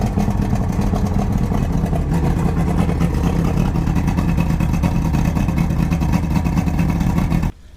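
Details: 1999 Johnson 200 hp carbureted outboard, cold start at about 70°F after choke priming, firm bulb and quarter throttle, not run in a while: steady low rumble settling into an even fast idle with no misses.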